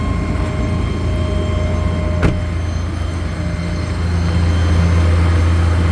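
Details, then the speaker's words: 2017 Ford F550 4WD bucket truck, 6.8L gas: after idling down, engine idles back up to a raised PTO idle, deep, smooth and even; Thermo King running in background; normal. "but I don't know if you can hear that whining noise that's a PTO running if I pop the brake it'll go away if you can hear it idle down here you hear it idling back up"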